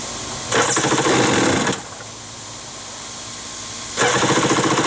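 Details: Wave Raider personal watercraft two-stroke on a water hose, started with starting fluid after new spark plugs, revs in harsh buzzy full-throttle bursts then drops quiet between them; it runs only wide open and won't idle; cause unconfirmed.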